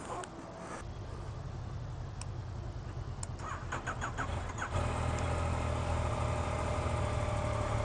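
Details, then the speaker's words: 2015 Yamaha FZ-09 motorcycle, first start on a full tank of gas: needs a few seconds of starter cranking, unlike the owner's previous Versys, then catches and settles into an even, steady idle; normal start and idle. "oh my uh versus start when you just all you had to do is just barely tap the starter and it started like right away guess this one needed a little bit more"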